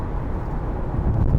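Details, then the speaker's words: 2026 Hyundai Santa Fe Hybrid on 20-inch wheels, cabin, decelerating after 80 km/h cruising: low droning rumble over rough pavement; tire road noise resonating in cabin, comparable to Sorento Hybrid, while wind noise is slightly higher. "요런 데에서도로드 노이즈가 좀 울려 퍼지기는 합니다."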